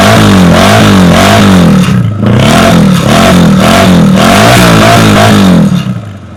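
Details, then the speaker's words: Yamaha Virago 250, original carb, original exhaust cut open: crisp blips up and back with a clean, even exhaust note, no misfires or rattles; engine revs freely. Normal revving. "อ่าเป็นไงครับเสียงท่อดีมากนะครับเป็นเป็นท่อผ่ามาแล้วนะครับเป็นท่อเดิมผ่ามานะครับเสียงดีนะครับ"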